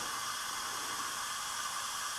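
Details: Small-block Chevy engine, leak-down test on cylinder 7 at top dead center, about 60% leakage: steady loud hiss of air rushing out the exhaust while little air comes from the water neck. The exhaust valve isn't sealing.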